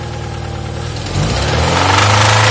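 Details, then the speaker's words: Alfa Romeo 166 2.0 TS with oil at full level, revved from idle: a dull knock under the climbing drone sounds like a loose nut rattling inside, cause unclear. "लगता है जिस तरह कोई चीज टूटी हुई नहीं, नट शट पड़ा होता है अंदर।"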